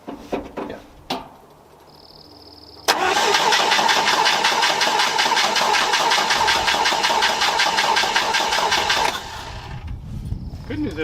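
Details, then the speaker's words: 1964 International Scout 80 after swapping to a low-pressure fuel pump, redoing the grounds and adjusting the choke: a quick crank catches at once and settles to a steady, even idle with no stumble. It is running healthy. "We don't have any of those ground issues we were having before. No, that sounds really happy."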